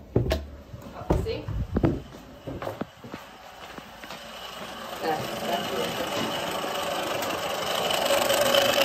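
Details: Taco 007 circulator feeding an indirect water heater on a gas-fired steam boiler, badly piped; customer reported banging when heat or hot water runs; a few clicks at switch-on, then rough gritty grinding with a thin whine; circulator grinding.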